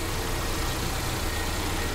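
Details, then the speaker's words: Mercedes CLA 200 at idle after start with check engine light flashing: rough, uneven rumble, engine shaking and jerking, rpm wandering slow-fast; misfire with rough idle, cause yet to be scanned (sensor or wiring suspected). "ये देखिए गाड़ी हमारा कैसे हिल रहा है missing कर रखा है"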